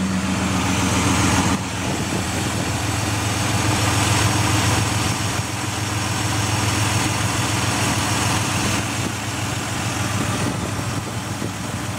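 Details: Ford Escape XLT 3.0L after fitting remanufactured MAF, refitting Bosch O2 sensor and battery disconnect, in park: slightly uneven rough idle with fast light tick riding over engine note; ticking persists.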